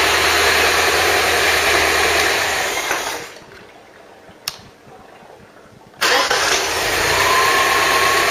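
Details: Ford Cortina Mk3 newly rebuilt 2.0 Pinto engine, Weber carb, first run with valve clearances on a first setting: light regular ticking over idle; tappets are tapping a bit, clearances will probably be redone.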